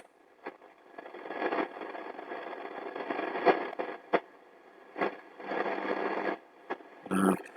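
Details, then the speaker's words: Eddystone EC10 receiver, fully aligned, tuned around 20 MHz indoors without an outside aerial; hissy static that swells and fades with sharp crackles; reception is swamped by indoor interference. "too much interference in here anyway"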